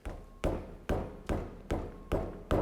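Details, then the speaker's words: Lexus GX470 wheel struck with fist: seven hollow thuds and clunks from a wheel with up-and-down play, compared to a sound wheel; loose wheel bearing. "you hear the noise this one is making versus this one I hope you can catch that on camera because this wheel have movement you can immediately hear it"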